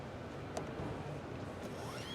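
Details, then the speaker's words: 2024 Honda Prologue electric SUV power liftgate: a thin rising squeal climbs over the last half-second as the hatch screeches closed, quiet motor hum underneath; rubbing squeak while closing. "as that screeches its way closed"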